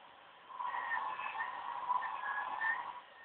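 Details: OCZ ZX1250 80+ Gold power supply under load during the Windows 7 performance assessment: thin, high warbling whistle wavering for about two and a half seconds; coil whine from the chokes.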